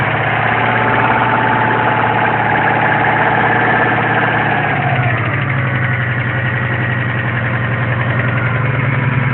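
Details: Engine knock at idle: a steady tapping knock about three or four times per second over the running engine, source unknown.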